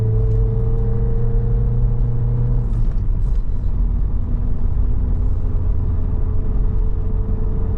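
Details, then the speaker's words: Vauxhall Cavalier Diplomat 2.0i on a 660-mile run, floored: deep drone fades into dull struggling rumble with no pull, losing more rev band before bogging, no engine light; owner first suspected fuel filter. "It's getting worse. I'm getting less and less rev band before it bogs down."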